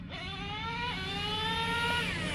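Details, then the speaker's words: Traxxas T-Maxx 2.5 nitro RC truck fitted with a Losi 3.4 carburetor as a budget upgrade: high, buzzy idle with wandering pitch, improved but not perfect; bottom end now stronger than with the previous rich-running carb. "they like the truck that's cool they came out to watch so yeah this is for sure a really good budget upgrade for this for this truck you can hear the idle it's not perfect"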